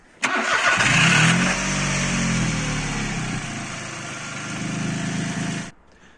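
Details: Mitsubishi Colt 1.1 three-cylinder just after spark plug change: brief crank, then catches cleanly and settles to steady even idle with no misfire or stumble; healthy start.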